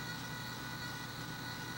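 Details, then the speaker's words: FMS B-25 RC model landing gear retracts at rest: steady thin electric buzz over low hum drawing about 0.1 amp; retract servo buzzing while gear sits still. "but uh that buzzing's pulling about oh what's the amp meter show 0 one amp that's what we got here .1 1 amp I'm sorry and these ret tracks do use a little power"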